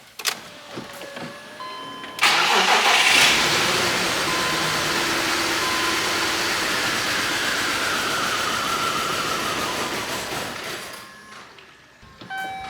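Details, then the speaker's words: 2006 BMW X5 6-speed manual, 270k miles, idle air control valve found stuck; starter catches, engine stumbles and nearly dies, then settles into shaky idle; rough start with near stall, then idles okay; cause suspected, not confirmed. "That start up sequence was pretty rough, but it started... It's running now."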